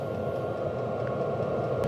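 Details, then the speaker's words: HCalory Toolbox 2 12V diesel heater on 12V DC power station, low setting, draw below 50 watts and not yet very warm: steady, even fan rush with no surging or rattles; caught and running normally after startup. "That pump is ticking a lot faster, and we're only down to below 50 watts now. It's not very warm at all."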